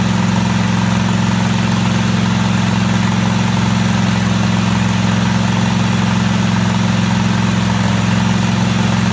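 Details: Craftsman DGT 6000 engine at its first start after reassembly with the fuel pump and new fuel line fitted: the small single runs smooth and even with a steady low thrum and no misses or knocks.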